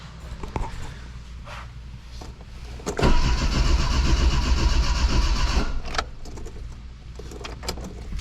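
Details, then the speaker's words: Dodge Shelby GLHS Charger with Chrysler 2.2 Turbo, new fuel pump failing randomly: relay clicks and starter cranks steadily about four beats a second with no pump hum and no catch; crank no start, fuel pump not running though ASD relay works. "so I hear a relay here snapping but what I don't see or what I don't hear is a fuel pump running so I'm going to go back there and listen I do not hear a fuel pump"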